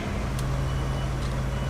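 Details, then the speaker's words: Abandoned Winnebago camper started after sitting, needing fresh fuel: steady low engine rumble with a repeating reverse beeper over it; the backup alarm works. "It has a backup alarm."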